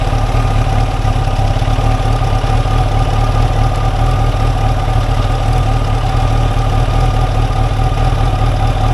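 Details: 1989 Kawasaki ZX-10 four-cylinder, revived after about 12 years sitting, replacement tank, running on a little fuel left in the carbs: steady, even idle with smooth low burble, no stumbles or knocks; running fine.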